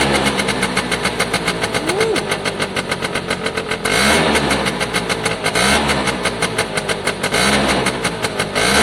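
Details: Piaggio Diesis 100cc two-stroke scooter. Crisp buzz revs up and drops back cleanly several times without misfires. The oil light flashes although the oil level is fine. Normal revving.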